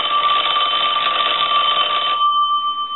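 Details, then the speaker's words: Western Electric Princess telephone final check after repairing a bell mis-adjusted during earlier refurbishing; bright steady two-tone ring about two seconds, dying away cleanly; ringer working properly. "so that was all repaired and now we're going to do our final check so I'm going to go ahead and ring the phone"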